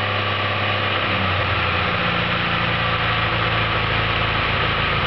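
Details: Skoda 120 GLS engine first start after assembly: steady, even idle with a constant low hum and smooth beat, no knocks, ticks or misses.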